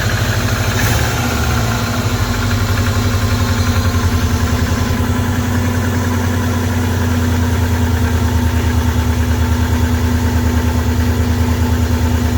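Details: 23-year-old Subaru boxer idling after water pump replacement while checking for coolant leaks: steady, even low idle with a smooth, unchanging beat and no knocks or misses; idling healthily.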